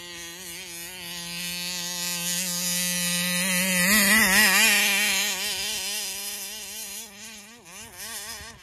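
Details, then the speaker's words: Taylor RC 35cc reed-valve two-stroke in the Punisher RC car, newly installed, tuning at fairgrounds: throttle pinned yet pitch wobbles, sags and recovers as if let off; surging at full throttle, won't idle, owner suspects carburetor and plans to swap it. "yeah it sounds like I'm letting off the [Music] throttle I had it pin the whole time"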